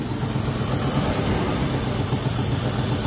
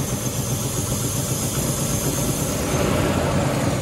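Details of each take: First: 1997 Land Rover Discovery 1 V8, manual 5-speed, after new spark plug wires, in neutral: steady idle with rapid uneven puffing tick over the rumble; known exhaust leak, otherwise sounds healthier, no smoke. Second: 1997 Land Rover Discovery 1 V8, 5-speed manual, idling in neutral after new spark plug wires: steady, fairly even low pulse with a brief swell, runs a tad healthier with no usual exhaust smoke; exhaust leak remains, intermittent breakup persists.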